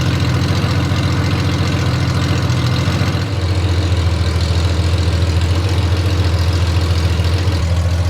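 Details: Honda Gold Wing six-cylinder on bare open headers, running to cure fresh VHT heat paint: loud rattly drone with fast crackling beat, no mufflers; open-header exhaust note.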